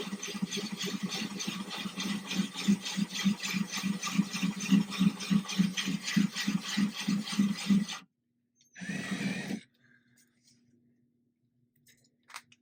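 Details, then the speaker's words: Ryobi drill with a diamond core bit drilling a thin-glass 10-gallon aquarium for a bulkhead, kept wet and cool, slow and easy: an even pulsing grind about three times a second, then the drill stops. Normal clean glass drilling. "I'm going to go back in here again, get started, go nice and easy."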